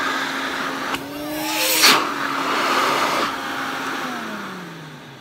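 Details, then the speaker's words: Electrolux 304 cylinder vacuum cleaner after cleanup; smooth steady high motor whine with even airflow rush, pitch dropping evenly as it winds down, much more suction than before. Normal running. "Wow. That has got so much more suction. I wish you could feel it. I'm not just saying that. It really does have a lot more suction to it. Oh, I love that sound."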